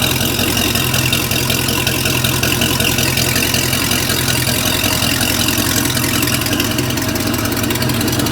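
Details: 350 Mag MPI marine V8, first start after rebuild, idle only: loud steady idle with an even beat around two and a half firings a second, no knocks or misses; runs healthy.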